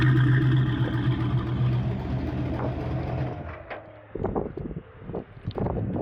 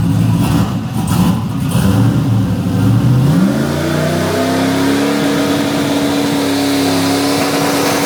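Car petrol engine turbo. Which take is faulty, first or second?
first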